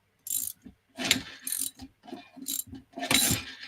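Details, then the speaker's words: Chinese 125cc motorcycle engine with repeated failures, turned by hand during teardown: bursts of ratchety clicking and whirring instead of a clean rotation, something slipping inside; owner suspects a sheared bolt in the end of the crank. "so if i do this can you hear that spinning"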